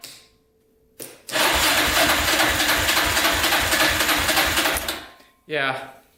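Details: Yamaha Raptor 660R single cranking about four seconds during a compression test with throttle held open, slow, even, sluggish turnover near 3.5 strokes a second off a weak booster pack; compression read only about 93.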